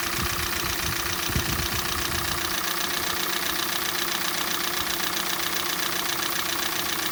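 Steady idle with a sharp, regular metallic ticking about four times a second on top; a cold-start knock, cause not yet known.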